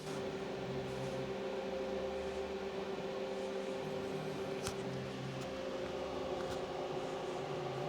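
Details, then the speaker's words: Desktop PC CPU air cooler fan at full speed, about 1,600 rpm, heard from the seating position: steady airy whoosh with constant mid-pitch hum, no rattle or ticking; loud fan, owner switching to 240 mm water cooling. "The problem is that when this thing ramps up on and off, it just it kills it kills me. I hate it. I hate how loud it is when it ramps up."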